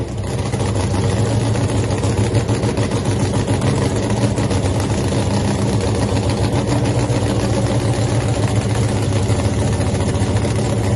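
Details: Nitro funny car Hemi Cuda, three-year home build, first fire-up after an earlier ignition problem with the mags: loud, deep, even lumpy rumble holding steady rpm with no misses; healthy idle.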